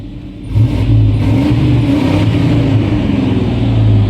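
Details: 1991 Chevrolet Suburban V2500 4x4 5.7L 350 V8, new cap, rotor, ignition module, plug wires and fuel filter: revs up, then hunts unevenly as rpm falls and sags toward a stall, dies in gear; cause was the ignition coil.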